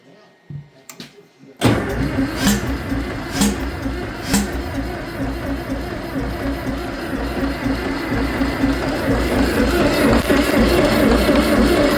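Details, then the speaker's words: Farmall 650 tractor after sitting a while, carb cleaned, spark confirmed, choke position unsure: starter cranks steadily about 2 turns/s, never catches; owner suspects no fuel getting in, though gas reaches the carb. "I didn't do nothing. Well, obviously she's not getting gas then."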